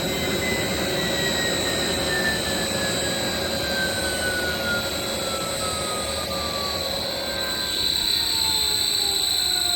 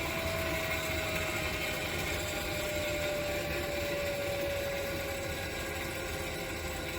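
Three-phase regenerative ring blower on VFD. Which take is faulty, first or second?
second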